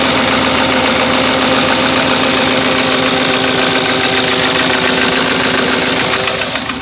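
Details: Porsche Cayenne 4.5 V8 (955) with 311,000 km, very low on fuel, started cold: loud steady idle with a hard rapping knock about three or four a second, engine shaking a bit; engine knock at idle.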